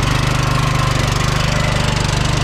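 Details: 2006 Troy-Bilt Pony lawn tractor with 42-inch deck, after replacing both original blade spindles, blades and belt (old spindles suspected squeaking); small engine pulses fast and steady with blades engaged, no grinding or squeal from deck; running normally.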